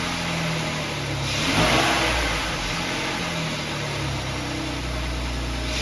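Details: 2011 Jeep Wrangler 3.8 V6 with P0301-P0306 misfire codes, after replacing a faulty high-mileage spark plug: engine revs briefly then settles into an even, steady run with no stumble; smooth.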